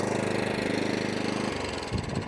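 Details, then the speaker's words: Atco Balmoral 20SK mower, Kawasaki engine, after carburetor cleaning following E10 fuel left in tank and carb; blade and drive engaged, snaps cleanly from idle to full throttle without bogging, quick even putter holding speed; normal running. "If you're on idle and it goes all the way up to flat out like that, perfect."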